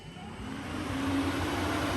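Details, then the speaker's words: Toyota 1G-FE VVT-i in a Lexus IS200 with ECUMaster Black harness, cooling fan switched on manually via a button: smooth whir rising in pitch and loudness as it spins up, then steady, no rubbing or ticking; fan works correctly. "one of the cooling fans turns on switch that off we'll switch that one on and you can see that that one is now spinning"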